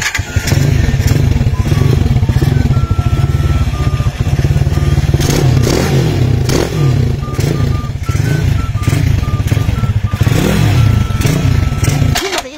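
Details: Cheap used 200 cc motorcycle bought with a hard-starting complaint, started on a freshly connected but undercharged battery. Deep, steady low thump, even and unbroken for over ten seconds; a small single-cylinder bike idling smoothly.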